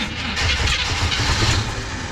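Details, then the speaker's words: 1970 Chevy C30 farm truck with a suspected 350 small-block V8, parked up to 38 years: starter churns, then uneven low thumps as cylinders catch and sputter once fuel reaches the carb; carb leaks possibly from overfilling. "whoa whoa whoa whoa whoa now it's got some fuel in it the fuel pump is pumping all right"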